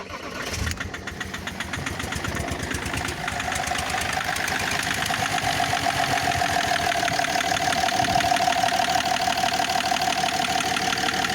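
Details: BMW M57D30 diesel starting and idling; sharp fairly regular metallic clatter over the rattle from a faulty injector; smoke from turbo side and turbo surge also noted; diesel injector knock.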